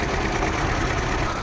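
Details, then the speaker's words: Daewoo Nexia after an engine wash: a rough, uneven, lumpy idle as if one or two plugs are dead. A contact on top inside the distributor cap has burnt, which causes this sound, and the fix is a new cap. "Мынаның ішін көрсеңіздер, мінекей трамблердің ішінде анау қоршинаның үстіңгі жағында бір қалам болады. Сол жанып кеткен. Сол себепті осындай дыбыс шығарып тұр бұл."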